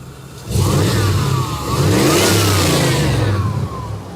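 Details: 1988–95 GM OBS truck with TBI, after a TPS swap and other repairs for rough running, dying and hunting idle. Two clean throttle blips; revs climb and fall back smoothly to a steady idle without stumbling or hunting. Normal revving.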